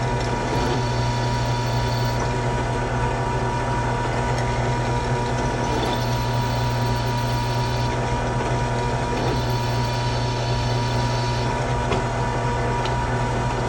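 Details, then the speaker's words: Drilling an oil mod hole into a Yamaha YFZ450 aluminum engine casing: steady even drill hum, constant tone; chatter gone once cutting full drill diameter past an existing hole, clean cut. "You can see the chatter went away, and that's because I'm now cutting full diameter of the drill in the aluminum casing."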